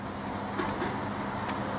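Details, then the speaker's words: Workshop heat exchanger fan, just hung from the ceiling, fan previously removed and cleaned of dust, smoke and welding-fume dirt: steady low hum and smooth airy whoosh, no rattle, rubbing or wobble; fan running normally and quietly. "and it's lovely and quiet, and the airflow, yesterday I didn't show you this, but I took the fan out."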